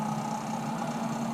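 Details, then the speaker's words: Avanti WCR682SS wine fridge not cooling: only condenser fan whir and hum, no compressor noise or vibration though the compressor gets power; compressor not starting due to a failed start relay. "we have a no compressor situation so I don't feel the compressor making any vibrations I don't hear it making any noise so the condenser fan is running the unit is on"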